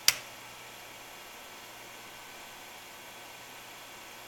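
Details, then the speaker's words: APC Smart UPS 1500 converted to a sine-wave inverter on battery at 120.7 V, 60 Hz, running an electric heater on fan setting: soft, even airy hiss with no hum or buzz, a quiet, normal fan. "fan runs has good air flow it's nice and quiet just like you'd expect on a sine wave inverter no change"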